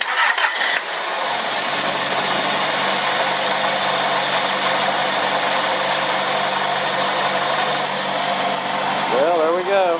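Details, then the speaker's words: 2001 2.4 engine first start after head job and timing belt replacement; short crank, then catches cleanly and settles into steady, even idle with no knocks or misses; healthy start. "running sounds pretty good i can't believe it"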